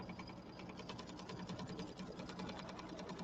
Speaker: Can you hear the little funny clicking sound? I might have to change my needle.